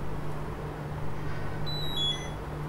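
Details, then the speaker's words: Xiaomi Mijia 360º Panorama camera pressing the power button: a brief high two-note chirp over a low steady hum, its ordinary power-on tone; normal power-on sound. "It makes a weird noise. Ok, it's on now."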